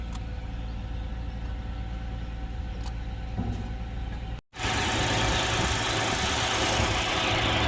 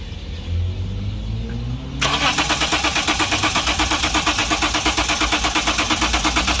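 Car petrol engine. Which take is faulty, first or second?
second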